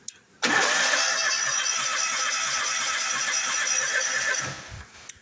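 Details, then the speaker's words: Bobcat zero-turn mower engine: starter spins steadily for about four seconds with no firing; plug tester showed no spark, traced to a faulty seat safety switch rather than the ignition coil. "we turn the key it's just cranking cranking cranking then uh I pulled the spark plugs put a tester on there there's no spark"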